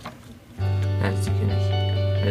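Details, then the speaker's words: Cheap iCar-style cassette-to-audio-jack adapter in a car tape deck after the click-stopping hack, reassembled; music plays cleanly with no clicking or ticking. "you can hear you can't hear any of the clicking sounds um sounds great"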